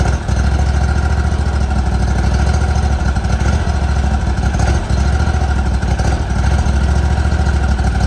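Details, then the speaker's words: 2018 Hustler Raptor SD mower, Kawasaki FR691V V-twin, just after head gasket and valve seal replacement, shroud off: steady even idle, no misses or knocks; runs healthy. "there it is going to let it Dole here a second big the smoke a little bit turn off some of that running"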